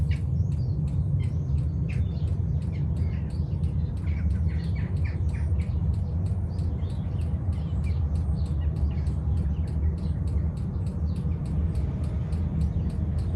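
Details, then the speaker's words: 5 kW Chinese diesel heater fitted with an aftermarket ultra-quiet fuel pump after priming: soft, even ticking about three times a second over a steady low hum; the pump runs normally and is much quieter, though still audible. "still hear it but it's so it is a lot quieter"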